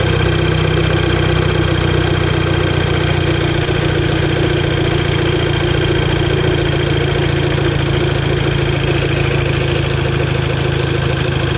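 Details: VW Golf MK5 GTI at idle: faint uneven rustle through a steady idle, no clear knock; owner asks if it is normal, cause unknown.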